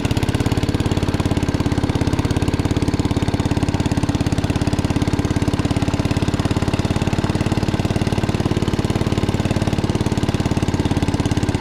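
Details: 1961 International Cub Cadet Original tractor, 7 hp Kohler single-cylinder, driven after new tubes were fitted: steady, even thumping with no misses or knocks; runs smoothly and healthy.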